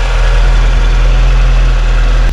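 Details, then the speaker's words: 1986 VW Golf 2, 1.8 GX 90 hp petrol, cold at about -13 to -14 °C after engine fault fixed: steady, even low rumble with no knocks, stumbles or hunting; normal idle. "конечно в холодную немножко он медленно стартует вы видели но немножко газу dash и через одну-две минутки он работает но слышите все работ"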